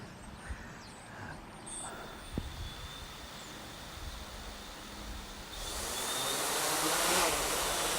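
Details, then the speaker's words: Hexacopter 550 (NAZA V2, barely worn 40A ESCs) switched to GPS mode: quiet hum, then motors suddenly rev loud and hold high with no stick input; smooth on ground but goes crazy once off the ground, cause unknown. "so but it's smooth like it's a smooth throttle but as soon as it gets off the ground it gets crazy"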